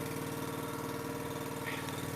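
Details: Eastonmade Ultra wood splitter's small single-cylinder engine, warmed up on a cold January day after the jamming control handle was fixed and the oil changed: even, steady firing beat with no knocks or misses, a normal healthy idle.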